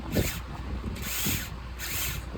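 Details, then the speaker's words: Used Traxxas Nitro 4-Tec 3.3 RC car, priming with the EZ-Start: three short bursts of high free-spinning whir as the starter spins without turning the engine. The engine later runs, and the owner concludes the one-way bearing is bad. "So that noise is the flywheel actually spinning."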